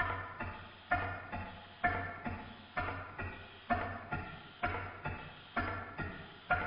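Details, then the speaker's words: Stuart Sirius model steam engine running in new big end bearings after adjustment, with repeated relubrication: even, regular exhaust beats about once a second with no knock between them; running a lot better, smoothly. "It's running a lot better."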